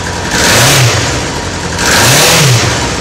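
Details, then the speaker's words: Honda Seven Fifty (CB750, 1992–2002) engine check: starts easily and rises cleanly through two quick rev blips, then drops back smoothly with crisp, even pull and no knocks or misses, so the engine is healthy. "Como podemos ver, es un motor que suena bien, que arranca sin problemas,"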